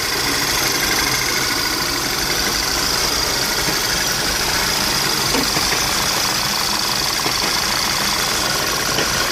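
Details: VW CC with K04 turbo petrol engine: hissy, uneven rough idle with stumbles and engine shaking, flashing check engine light, smooths out with throttle; no P code; owner suspects vacuum or exhaust leak; misfire.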